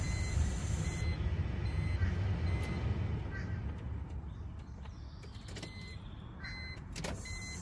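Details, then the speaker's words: BMW E46 3 Series after fuel pump replacement, key on without starting: a faint high-pitched buzz comes and goes as the new fuel pump primes normally. "you hear that high pitch buzzing noise that's the fuel pump"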